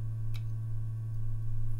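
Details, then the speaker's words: Vintage ultraviolet Mineralight lamp powered by a six-volt lantern battery, UV switched on: steady low electrical hum at one fixed pitch with faint overtones; normal operation. "you can probably hear humming like with my other model of mineral light"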